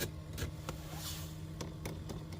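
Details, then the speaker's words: 2012 GMC Terrain, blower on speed 1: sharp irregular clicks about every half second behind the passenger dash; failing blend (temp) door actuator, motor replaced a year earlier ruled out. "That clicking sound right there is this guy right here. This is the blend door actuator or temp door actuator."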